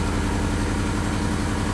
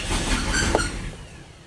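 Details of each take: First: Lexus LS400, owner thinks 1997, restarted: low, even firing at a steady idle, no longer revving wildly or hunting; it later starts revving up again and smokes a little. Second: Lexus LS400, owner thinks 1997, bought non-running: after clearing codes (a mass air flow sensor code had appeared), a brief burst of cranking dies within a second without catching; it cranks but won't start, back to the earlier fault.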